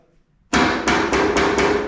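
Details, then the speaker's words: Bricklin frame, car once ran off the road, tapped five times with rubber mallet: rings and rattles instead of a solid thud, indicating broken or missing welds or loose metal. "it rattles [Music] it doesn't make a solid sound [Music] i can hear that rattling from way over here"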